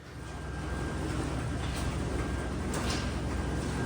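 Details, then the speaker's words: Lincoln Aviator 3.0 EcoBoost, fairly new: low, uneven puffing rumble under the engine note as it creeps in. The exhaust leak is from a cracked flex pipe found underneath; it is replaced with a new OEM Ford part. "So, uh yeah, today the uh exhaust sounds driver like, "This thing sounds like it's got an exhaust leak." So, I jacked it up, looked underneath it, and yeah, the one flex pipe is cracked."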